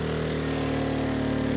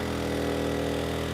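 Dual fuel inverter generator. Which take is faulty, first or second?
first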